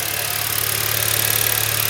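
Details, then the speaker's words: Hyundai Solaris 1.4 G4FA with oil consumption and knocks, suspected counterfeit timing chain, check engine light with a camshaft error, heard from outside the engine. Fast, even, sharp ticking over a steady idle, louder than usual; cause unclear. "давай сначала снаружи послушаем потомки так вот так громковато"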